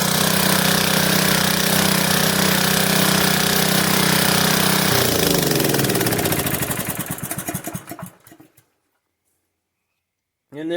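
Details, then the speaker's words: Honda-powered plate compactor, diagnosed for no-start, topped off with 30-weight oil and belt removed: small single-cylinder runs steady and even, then slows and stops; normal running, though a missing centrifugal clutch spring was found. "have it it runs"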